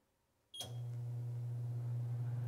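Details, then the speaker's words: Bosch HDS-255/HDS-25 range from 2004 during a no-heat diagnosis, convection fan switched on from the control: a soft click, then a steady, even low hum; the fan spins up and runs smoothly. "I don't know if you can hear that but it's running"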